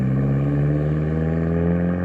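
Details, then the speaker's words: Nissan 240SX with rebuilt KA turbo engine, after timing adjusted to fix lost compression in cylinders three and four: steady, even low idle with smooth firing, no knocks or misses; running nicely, timing possibly not perfect, ECU likely on fixed timing. "all right well she running good the timing's probably not perfect but that runs really nice though"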